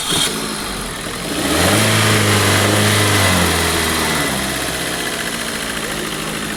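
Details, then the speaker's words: Car starter after cleaning, greasing and refitting the starter pinion gear; short, clean crank catches at once and settles to steady idle with no grinding — starting noise gone, starter engages properly. "यह गाड़ी का जो sound था starting problem का व देखो गाड़ी हो गई ओके आवाज सारी बंद है"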